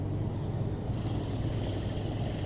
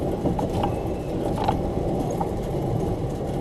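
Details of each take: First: 2003 Chevrolet Silverado 2WD, front wheel jacked up and spun: smooth even whirr with faint brake pad brush, no rumble; a little pad grinding is normal, hub sounds fine. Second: Chevrolet Silverado front wheel lifted and spinning: rough, steady grind with a little chirping, where the other side had only slight brake pad grind; worn front hub bearing.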